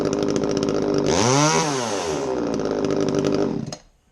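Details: Echo CS3450 chainsaw after carburetor repair for a no-start: the small two-stroke revs cleanly to a high scream, settles back, then shuts off; it starts and runs normally.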